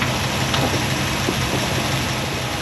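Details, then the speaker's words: Chevy C10 pickup with a freshly rebuilt engine, idling smooth with no misfire: a light regular ticking rides over the idle. A lifter or pushrod backed off is suspected, and the valves are to be adjusted. Valve train tick. "yeah I can hear that it does sound like a lifter or push rod backed off maybe just a little bit"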